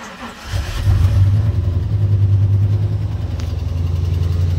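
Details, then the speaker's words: Truck that wasn't running right, crank position sensor code, before sensor replacement: cranks briefly then catches slowly into a low, uneven, shaky idle with a wobbling beat; hard starting and rough running. "And it starts a little hard there too, as you could probably hear."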